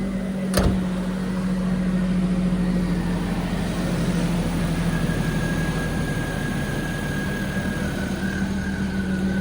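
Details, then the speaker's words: Kei car at a Japanese auction, grade 3.5C, 221,000 km: the small engine hums at an even, steady idle with no knocks, misses or surges; doesn't sound bad, a normal idle. "Actually doesn't sound bad. It's a grade 3.5C with 221,000 kilometers."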